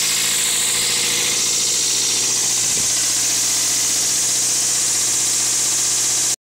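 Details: 2000 Toyota MR2 Spyder engine bay: a fine, busy metallic rattle rides over the idle and stays as the engine is blipped; source not pinned down.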